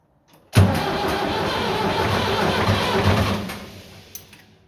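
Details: Vintage diesel tractor (the "77") that wouldn't start after sitting two days despite a fully charged battery and jump pack; tank found with zero fuel, diesel added and fuel/lift pump primed. It now fires right up and settles into a steady, even chug with no misses.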